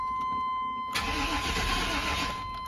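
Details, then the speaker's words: 1995 GMC Z71 with new starter, battery and positive cable; fuel pump confirmed priming by jumping relay pins. Starter spins the engine steadily for about 1.5 seconds but it never fires: crank, no start, cause still unknown. "I'm going to see if this will start. I don't know. Probably will, but we're going to see. If it does, I'm going to be shocked. So, it didn't start."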